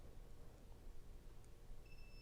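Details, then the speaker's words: Tasaca T500-V58 electric dirt bike, FarDriver controller tuned via Bluetooth dongle for more top speed; after hitting save in the app, one steady high beep held about half a second confirms the settings were saved. "You'll hear that beep. Return to simple mode and hit save again."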